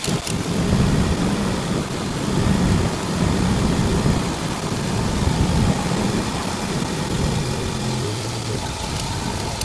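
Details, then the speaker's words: 1990 Nissan pickup four-cylinder idling during a Seafoam motor treatment: uneven low chuffing and puffing under the bonnet from a known exhaust leak, which is why smoke comes out of the engine bay. "my dad has an exhaust leak that's why it's coming out of the engine bay"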